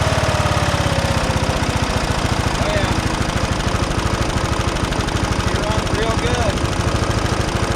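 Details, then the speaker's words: 1979 John Deere Model 68 riding mower, first run in years after fixing a fuel leak, choked: small single-cylinder putters at low idle, steady even firing around three per second, no misses or knocks. "For sure. Most definitely. Yeah, that's at low idle, too."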